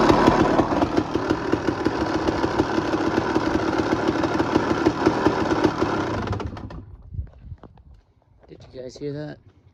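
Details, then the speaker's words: 2001 Honda CR250 two-stroke at idle: sharp rattling ticks about three a second until shut off, gone when the clutch is pulled; worn clutch basket chattering, basket to be replaced. "Um, yeah, if you hear like a and it goes away with the clutch, it's the basket."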